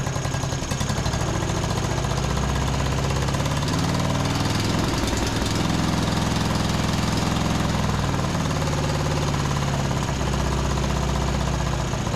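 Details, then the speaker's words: Uneven, lumpy chugging with stumbles and surges on a John Deere D110 riding mower after carb spray into the main jet; misfiring, and the spark plug was found only hand-threaded, not tightened. "It was just like hand threaded in there, so I guess let's go ahead and pull this thing out."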